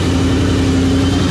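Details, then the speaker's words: 2012 Paxton-supercharged S197 Mustang, freshly installed Gen 2 shortblock with ARP head studs, new OEM gears, just-changed oil: deep, even idle, steady low rumble, no knocks or misses; sounds healthy, normal idle. "sounds good sounds deep does it sound different"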